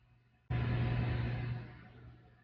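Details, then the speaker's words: Isobaric gas-tight (IGT) sampler on the bench with an ROV simulator: the valve motor kicks in abruptly with a low, even hum for about a second, then fades cleanly, operating normally. "And when it closes, you will hear it. Okay. Because 800 milliamps of torque is a lot of torque."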